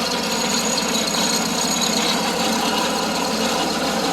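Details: John Deere 652R: steady engine run with a constant harsh rubbing scrape; the drive belt is so stretched that the tensioner pulley rubs the hydro pulley. Machine had been sitting, was hard to crank and possibly flooding.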